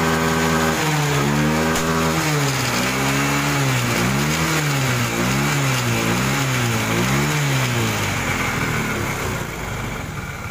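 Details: Yamaha Xeon that died suddenly with lost compression, misfiring bangs and smoke, after valve clearance was set to 0.10–0.15 mm; small single-cylinder catches and revs up and down in clean repeated blips, then settles, healthy again.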